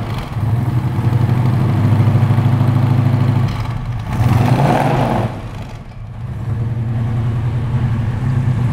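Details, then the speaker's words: 1968 Shelby Mustang KR 500 GT, 428 Cobra Jet big-block, after replacing loud Flowmaster mufflers for a quieter tune, heard from the rear: deep even V8 burble at idle with light blips, no more cracking; healthy quiet exhaust. "it sound loud to you it's not like before it was a lot it had a big cracking noise before"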